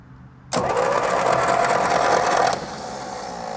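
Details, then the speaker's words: 1937 Buick Special straight-eight that sat for decades, cranking without plugs before spark checks: steady starter whine with an even churning beat as the engine spins freely and blows air; the starter works normally. "yeeha we have Pistons going up and down because it's blowing air at me"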